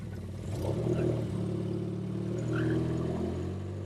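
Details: Turbo 1.6 Miata with new NB6 intake manifold, Skunk2 throttle body and -6AN fuel lines, first start, running very rich: revs hunt unevenly and sag off throttle; idle screw likely needs adjusting.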